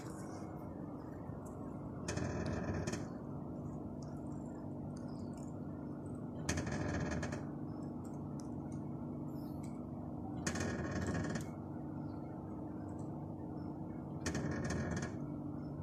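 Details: Kia Sportage, started and parked in neutral with the handbrake off: steady idle hum with a burst of rapid clicking about every four seconds, continuing for minutes. The intermittent clicking's cause is unknown.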